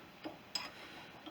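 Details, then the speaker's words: Mini lathe with the chuck turned by hand while loosening it for headstock disassembly: a few light, scattered ticks from the back of the chuck catching its cover; harmless. "That noise when I turn that, you can hear is just the back end of this, my cover catching the"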